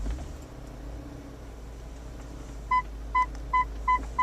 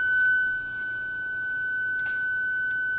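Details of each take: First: 2000 BMW E39 M5 reversing in garage after rear PDC ultrasonic sensor replacement: short high beeps speeding from about two a second to a solid tone within about a foot of the wall; normal parking sensor warning, sensors working properly. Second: 2000 BMW E39 M5, key in second position without the engine running, clutch pressed and reverse selected: one steady high beep lasting about three seconds. This is Park Distance Control flagging a faulty ultrasonic sensor.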